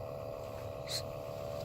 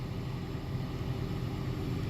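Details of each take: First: 2013 Toyota Prius C cabin blower motor, nothing found stuck inside: steady whirring drone with a held mid-pitch tone and no knocking; worn, noisy blower motor, later replaced with a new assembly. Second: 2013 Toyota Prius C cabin blower after replacing the noisy blower motor assembly. Smooth, steady low whoosh of air with no squeal, scrape or rattle; no more noise, normal blower running.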